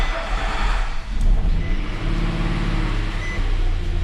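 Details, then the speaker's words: First start of a 2005 Nissan VQ 4.0 V6 (from an automatic Xterra) swapped into a manual 4x4 2008 Frontier King Cab, no coolant, accessories and radiator not fitted, in neutral: steady low idle rumble with no knocks, ticks or stumbling; runs well. "Success. Probably don't want to leave it running long because I don't have any water in it. All right. Sounds good, not in gear."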